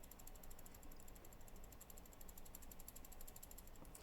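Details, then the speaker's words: Custom 60% keyboard build (1UP RGB 60 PCB HSE hot swap, Zealios 67g switches, LJD61up case) shaken; light plasticky ticks about six a second, stabilizer rattle because the stabilizer sides were left unlubricated. "little rattle that you can hear this left right off my microphone now a little rattle that you can hear that left all that you need to do is lubricate the sides of these switches"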